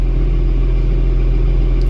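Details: John Deere 7420 tractor at about 5,455 hours, after oil change, injection pump and injectors replaced earlier to cure a fuel knock: deep steady diesel idle with even beat, no knocks or misses, healthy.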